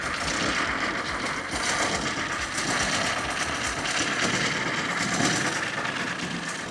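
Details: 1928 Ford Model A pickup, 40hp four-cylinder, owned by one family for about 50 years in Arizona; engine chugs at a slow, even beat under a loose mechanical clatter, running steadily again after long storage.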